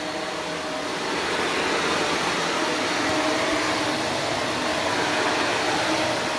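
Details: Shark NV355 upright vacuum bought in 2018, about 3 years old, on bare floor; steady even rushing airflow with constant motor tone, no rattles or pitch changes; owner hears a little motor bearing wear but it survived; normal running.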